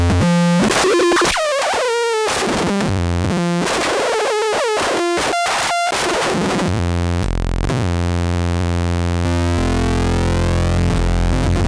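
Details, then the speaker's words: 2016 Minimoog Reissue synth, all three oscillators on while changing octaves: buzzy tones jump in pitch with scratchy crackles and dropouts from noisy octave rotary switches, worst on oscillator three. "so there all three oscillators on but you can hear the noisy uh rotary switches there"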